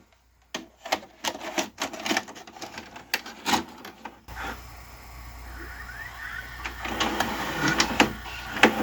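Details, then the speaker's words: Magnavox CDV220MW9 DVD/VCR combo (2011) loading a tape: irregular loud clacks and snaps, then rough whirring with scattered ticks. The VCR mechanism sounds harsh and abnormal. "ooh that sounds horrible i don't think that's how it's supposed to sound"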